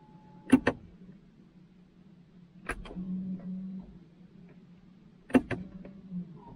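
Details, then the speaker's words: BMW i3 electric parking brake re-engaged after rear brake disc and pad replacement using Bimmerlink service mode: short clicks then brief even motor whirs about a second each; motors clamp cleanly, no grinding or straining. "So let's try to put it now. At least it tightened it up nicely."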